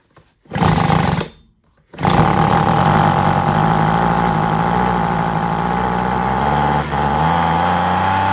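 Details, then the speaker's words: Husqvarna 125B handheld leaf blower, sat for years with fuel, run wide open without air filter: after a couple of short bursts it catches and settles into a steady, even, high-pitched two-stroke buzz; sounds healthy. "That's what I've been waiting for. Now I feel a lot better. It didn't make any sense to me, so good. We know it will run. It sounds okay."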